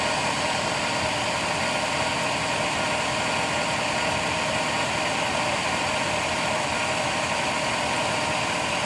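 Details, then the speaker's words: 2007 GMC truck at idle: constant high whine from the lower front of the engine that gets louder with acceleration; owner suspects harmonic balancer, which appears to wobble, or water pump; tensioner recently replaced. "I'm thinking harmonic balance or something bad going on in there or my water pump"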